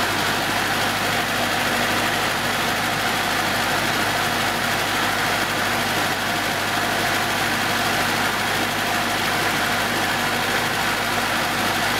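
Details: 1970s Datsun with freshly reworked ignition, running after starting on its rejuvenated 6.5-year-old 12 V battery: even, steady idle with no misses, knocks or hunting; the engine settles down and runs smoothly.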